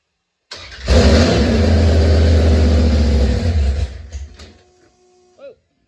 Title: First fire of Roxanne , with the old mill . Had a stuck needle & seat & a vacuum leak . Fixed now